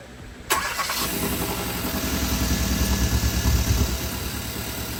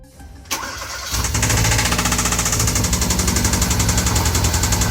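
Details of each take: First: 2014 Hyundai Veloster Turbo engine after it was removed again, repaired, cleaned and refilled with new oil: it catches at once and settles into a steady, quiet idle with no knocking or ticking; the owner is unsure whether the car has a muffler. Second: 2014 Hyundai Veloster Turbo engine, freshly rebuilt with machine shop work, just started and idling with the brake pedal plug unplugged: steady, rapid knocking rides over the idle and keeps pace with the engine, like a rod knock; the owner suspects cylinder number two, possibly an overheated piston.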